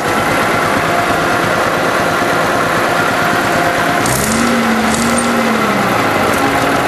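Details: Unrestored Allis Chalmers WD-45 diesel tractor, started after preheat: steady, even diesel clatter holding one speed, no knocks or misses; normal idle.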